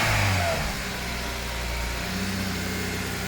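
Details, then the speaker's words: Honda Jazz with K-series engine swap, running after fixing a loose ECU 12-volt feed, exhaust work still pending: a rev blip falls back to a steady, even idle with no knocks or misses; sounds reasonable: normal idle. "it doesn't sound too bad reasonable"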